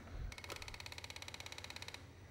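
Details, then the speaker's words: Polaris ATV fuel pump priming: a quick, even buzz for about two seconds that stops cleanly; the pump sounds healthy. "Yep. That pump sounds healthy."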